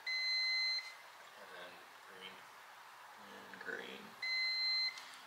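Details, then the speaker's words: Honda FourTrax 300 ATV, CDI box wiring harness tested wire by wire with a multimeter; two clean, solid continuity beeps, harness good, fault left to the CDI box or stator (suspected CDI box). "so well wiring harness is good"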